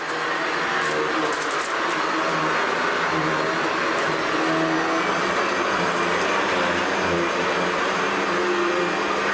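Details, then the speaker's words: Hoover Decade 800 upright vacuum after fixing vibration traced to the brushroll, oiling the bushings and main bearing, and fitting a metal fan from an older Convertible: smooth, constant motor hum with even brushroll whirr and no shaking. "oh okay definitely a lot better than before so there we have it Hoover decade 800"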